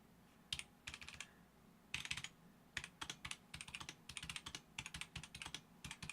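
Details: Roccat Vulcan 120 Aimo keyboard with Titan switches, upgraded to Tai-Hao PBT doubleshot keycaps: crisp, even clacks in quick typing bursts, no rattle or scratch; keyboard sounds healthy.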